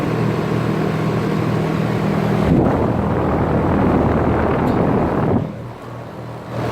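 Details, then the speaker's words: 2007 Trane XB13 5-ton central air conditioner condenser starting up. Steady, even low hum with a smooth fan rush and no knocks or rattles. Normal running. "yeah, it sounds like a stroll. So this is a nice unit actually."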